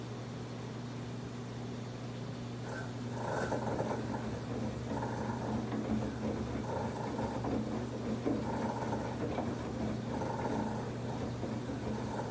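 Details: Samsung WF1124 front-load washer: steady low rumble as drum turns with loud rhythmic swishing surge about every 1.5 seconds, now during washing, not only spin, and getting more frequent; abnormal drum noise.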